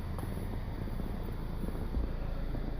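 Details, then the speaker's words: Chevrolet HHR idling with low, even exhaust rumble, no puffing, ticking or leak over some wind; exhaust now sealed and quiet after repairs, just before a test drive where it failed to shift (TCM suspected). Normal idle. "Okay, YouTube, she's sitting here idling. About ready to take her for a rip. The exhaust is nice and quiet now."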